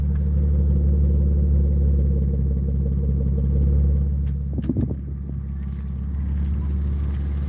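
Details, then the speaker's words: Rare 6-cylinder BMW E36, running again after a no-start suspected to be running out of fuel: smooth low rumble at a steady idle, even exhaust pulses, no ticks or misfires; the six sounds healthy. "See, once she's running, she just sounds good. She sounds really good."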